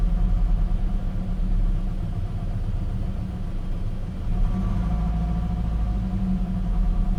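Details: Gen 7 Toyota Celica after a fuel pump and filter replacement, with the pump heard priming and fuel trims relearning: a steady low rumble with an even, settled idle and no misses or knocks, the best idle in a while.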